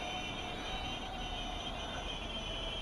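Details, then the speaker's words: SPCMAKER 95EP 1S brushless micro FPV quad with 0705 motors, hovering after rate fix: steady high whine with rough, gritty edge from noisy worn motor bearings; machine drifting more and more over time. "we can see that the machine is drifting versus time more and more Wow you can hear the bearing of the motor is very crowded but at least the rate problem are solved with this"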